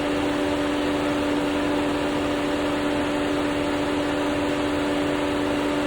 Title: AC makes a hissing noise inside the cabin and from outside this is happening… what do? #FordExplorer